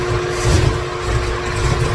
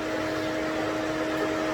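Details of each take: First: 2017 Corvette Z06 with Texas Speed 416ci stroker, Holley port injection, first fire-up with no tune, no coolant in engine: big V8 runs lumpy and uneven, stumbling and catching, fan kicking in; rough running from missing tune. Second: 2017 Corvette Z06 with a new 416ci stroker on its first start, run briefly with no coolant so it heats up fast. A steady, even whoosh with faint constant hums and no rattle or scrape is the electric cooling fan kicking in and running cleanly.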